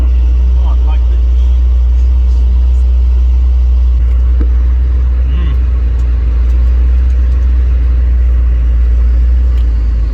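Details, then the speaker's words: 1988 Cadillac Brougham parked 16 years, day 3, thermostat being replaced to 180 after overheating: loud, deep steady V8 idle rumble, no misses, knocks or surges; running smoothly. "It's really loud, actually. I know, but it's running quite smoothly."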